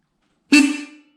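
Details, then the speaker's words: Jeep fitted with a reproduction 12 volt Sparton horn, replacing a high-pitched one. One short, deep, full blast that fades cleanly; normal horn tone. "that's a lot more like what it should sound like."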